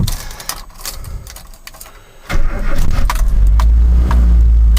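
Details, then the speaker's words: 1985 Mazda B2000 ute, original carbureted 2.0 L engine, 310,714 km, no blow-by, recent clutch and gearbox: cold start with a little choke, quick crank, catches and settles into an even fast idle; healthy start. "you go that's cold start so anyway"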